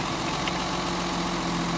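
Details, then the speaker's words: Mercedes 280 SE: number two lead plugged back in after a test pull and the engine smooths out; steady even idle, low rumble, all cylinders firing. "now watch the engine smooth out as I plug this lead back"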